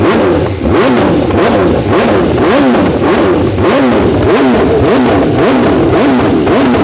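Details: 2021 BMW S 1000 RR with new Akrapovic titanium headers and SC Project carbon canister, running without a tune: quick repeated throttle blips, loud crisp exhaust rising and falling cleanly; normal revving, runs smooth and healthy.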